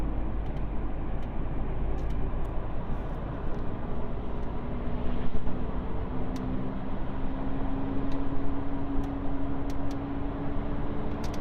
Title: alfa 159 2.4jtdm front wheel bearing sound, i replace and noise gone.